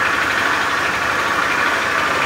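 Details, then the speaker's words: Honda Beat FI scooter idling roughly with a dull rapid knocking under a rattly running noise and rough starter; mechanic's analysis points to the connecting rod. "motor Beat FI starter kasar yang suaranya mesin ini kasar itu analisa dari mekanik bengkel ada masalah pada bagian stang sehernya ya teman-teman"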